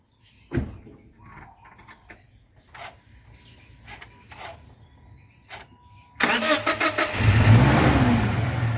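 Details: Toyota Vigo that would not start in the morning (battery seemed flat, fuel very low, radiator empty); after refilling radiator water and fuel it cranks a few clicks, catches at once and settles to a steady run; starts normally, running cool.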